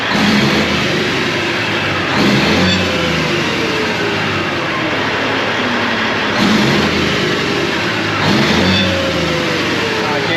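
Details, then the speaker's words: 1998 Freightliner Classic with Cat 3406E after new injectors and cups, injectors set at 52.32: revs smoothly through repeated pulls and settles back without misses or knocks, running clean. "everything went pretty good with this engine sounds good runs good"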